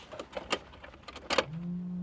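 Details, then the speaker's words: Geo Metro LSi convertible, three-cylinder, abandoned. At the key, a few light clicks, then a steady low fuel pump hum holds with no cranking at all. Fuel pump runs but the starter never engages; starter relay suspected. "the fuel pump is working no way it uh makes no attempt to start but the fuel pump is running I kid you not the fuel pump is running but no attempt to crank at all none"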